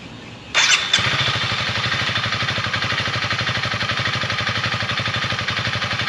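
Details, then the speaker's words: Honda CRF300L, warmed up, after a fix for a vibration noise at 7500–8000 rpm: a quick start, then an even, steady thump of about four beats per second at idle; healthy, with the weird sound gone. "all right so obviously that sounds a little bit better than what it did before uh it was making the weird sounds in that 75 to 8000 rpm rev range so not doing it anymore"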